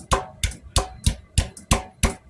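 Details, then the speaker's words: Royal Enfield Classic 500 EFI: hollow knocks, about three a second, as the fuel tank slides and hits its worn front rubber mounting buffers. "just above idle the tank has been rattling and it's something to do with the rubber buffers that the tank mounts at the front"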